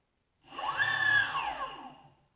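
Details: Clean electric whine rising and gliding down with no rattle from a Boosted Board motor and belt drive. This is after tightening the loosened mounting bolts and stretched belts that had caused a rattling noise.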